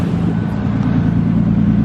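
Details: R33 Skyline RB25DET at idle just after cooling overhaul with new Mishimoto radiator, thermostat and GKtech clutch fan, coolant refilled, no leaks: smooth even low rumble, steady pitch, no knocks or misses; healthy idle.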